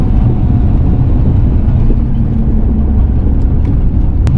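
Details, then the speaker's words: Ford Fox-body Mustang with a cheap used Marketplace T5 manual transmission of unknown history, installed behind about 500 hp, at street cruise without full throttle. Low, even rumble with no gear whine or grinding, much quieter than the previous whining unit; third gear may need a synchro. "A lot quieter than the other one was, I can tell you that. It was whining already at this point. We'll see. That sounds really good."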